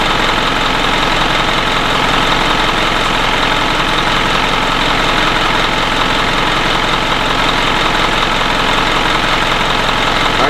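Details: 2011 Isuzu NQR diesel truck with a DEF failure complaint, warmed up and idling parked during a forced DPF regeneration started with a scan tool; steady, even diesel clatter at constant idle with no misses or surges; normal idle.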